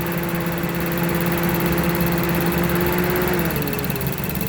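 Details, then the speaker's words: 2007 Mazda with 2.3 turbo, check engine light P0117, at idle: whooshing radiator fan whose hum shifts pitch, duty cycle jumping 0 to 30 to 100% as a faulty coolant temperature sensor makes the computer think it is overheating; corroded connection suspected. "duty cycle for the fans jumping from zero to 30 to 100 coolant fan temperature sensors changing so the thinks it's overheating and it's just going straight up"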